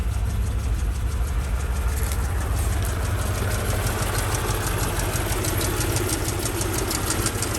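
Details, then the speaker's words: Mercedes S55 AMG V8 that began making a bizarre sound after its first short drive and being parked. A sharp, light tapping at about three per second rides over a steady idle. Engine knock of unknown cause; an oil-and-water mixture was later found. "then we parked her and she started making a sound she made a really bizarre sound"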